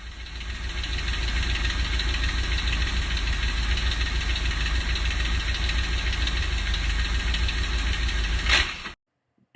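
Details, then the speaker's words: 1965 Ford Thunderbird engine, first start after reinstalling in car following machine-shop rebuild: rough, uneven running with irregular knocking about three per second under idle, sounding horrible, then the engine dies; engine knock. "the engine is running it sounds horrible and the sound at the very end is when the engine died"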